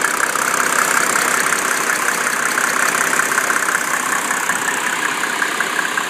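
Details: 1987 Mercedes 300SDL diesel with 119,000 miles and a number 15 head, warm idle at 80°C: a light, fast top-end tick fades in and out. It stops after a few minutes of driving and returns after 30 minutes' rest. The owner wonders about an injector, vacuum pump, sticking valves, or timing chain slap.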